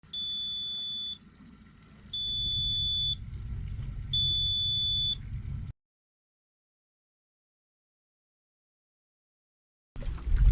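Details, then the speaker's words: 2015 Yamaha F40LA 40 hp four-stroke outboard with Yamaha 703 control box idling: three long high-pitched beeps, only in neutral, stopping in gear; water-in-fuel warning from water level sensor in fuel filter cup, fixed with new filter and fuel system flush. "And the second time out with the boat, it started making that beeping noise like you just heard, but only in neutral."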